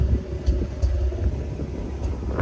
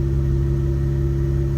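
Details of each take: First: Mazda RX-8 rotary engine, smoking and suspected bad oil seal, revved after warm-up with check-engine light blinking: sharp revs with a rough, choppy edge on the climbs; misfire, owner plans to change spark plugs. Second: Mazda RX-8 rotary idling smoothly with steady even drone after replacing a damaged spark plug; previously rough idle and heavy smoke, first suspected coolant seal failure.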